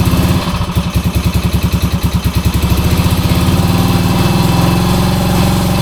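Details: 1966 Honda C200 off the road since 1972, on full choke, fuel possibly not getting through: lumpy, uneven low thumping around three beats a second that steadies a little with more throttle; rough running, cause unknown.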